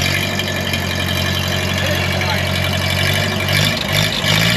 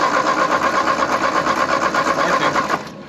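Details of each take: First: 1939 Ford 9N tractor with used engine rebuilt 30 years ago, first start after 25 years dormant, choked with some throttle: steady even low putter settling into a quiet smooth idle, no knocks or misses; engine running healthy. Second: 1939 Ford 9N tractor with a used engine rebuilt 30 years ago, not run in over a year and a half, ATF in cylinders, weak intermittent spark: steady starter chug about three beats a second, never catches; crank no start.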